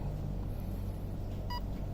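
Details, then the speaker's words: Arc One RC speed controller in programming mode: single short beep over low rumble marks the first menu layer, battery setting (NiMH or LiPo); 2 beeps endpoint adjustment, 3 beeps. "1 beep for battery, 2 beeps for endpoint adjustment, and 3 beeps."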